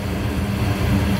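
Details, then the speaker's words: Goodman gas furnace after clearing a clogged inducer port: the main blower motor has come on, giving a low, steady rumble and hum with no surging or clatter as it distributes heat. Normal operation. "So, now our big motor turned on. Uh now it's sucking out the heat and distributing it through the house."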